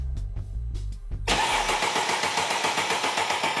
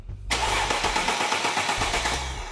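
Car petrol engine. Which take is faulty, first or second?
first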